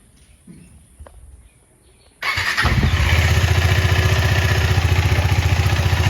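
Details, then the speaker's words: KTM Duke 250 running after chain cleaning with Motul chain clean, WD-40 and Motul chain lube: engine settles into an even, steady beat with no chain slap or grinding. Quiet chain after lubrication. "इधर देख सकते हो एकदम चकाचक है एकदम पूरा, कोई नॉइज नहीं आ रहा है, आप लोग देख लो।"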